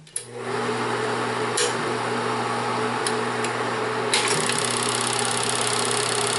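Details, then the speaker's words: Bell & Howell Autoload 8mm/Super 8 projector left running after use so the fan cools the very hot bulb for about 5 minutes: smooth steady whir and even hum, no knocks or rubbing; normal cooling fan. "Lo vamos a dejar un rato así que esté ventilándose, como dije, ya que la bombilla alcanza temperaturas muy extremas, muy altas."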